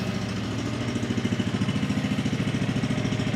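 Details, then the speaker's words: 2004 Polaris 120 youth ATV, single-cylinder, idling steadily with a little throttle, about three and a half beats a second, no knocks or misses; safety not set; runs good, normal idle. "Got to give it a little bit of throttle here. I know why. Safety is not on here. So that thing runs good."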